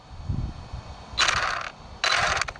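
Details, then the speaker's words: Arrma Vorteks V2 RC truck on its third or fourth battery pack. Harsh, gritty half-second grinding bursts over a faint drivetrain whir. The owner first suspected the front diff or gears; it is a motor bearing grinding. "something's not happy yeah something's not happy it almost sounds like front def"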